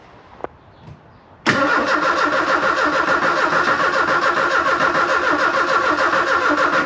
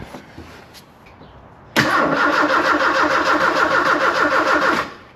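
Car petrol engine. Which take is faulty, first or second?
first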